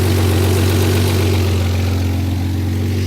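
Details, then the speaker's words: Mazda MX-3 with 2.5 L KL V6 and Millenia intake, fans off, after setting ignition timing: idle rose slightly, steady even hum with no misses, knocks or ticks; running fairly decent. "as you can see the idle went up a little bit you probably can hear it so we're running fairly decent"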